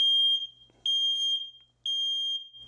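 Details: 2nd-gen Nest Protect smoke and CO alarm self-test: three loud, piercing high horn beeps in a steady rhythm while the smoke and CO sensors, Wi-Fi, speaker, horn, light ring and interconnection are tested.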